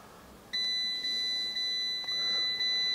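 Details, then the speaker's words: Fiat 500 dashboard: clean, high electronic beep repeating about twice a second, a seatbelt-style warning chime stuck on after changing settings with Multi-ECU Scan; it stops during proxy alignment. "Oh, it stopped now. That's because I'm doing the proxy alignment. Thank God for that. It's like an alarm going off, you know,"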